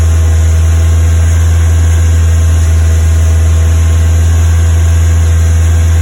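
Loud, deep fast idle with an uneven, lumpy beat that keeps stumbling; a misfire, cause not known.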